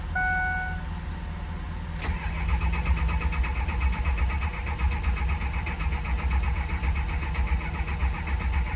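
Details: 2006 Ford F250 diesel after nearly two months sitting, near-complete HPOP system rebuild with new O-rings: short cranking, catches at about two seconds, settles into steady, even idle; starts and runs properly.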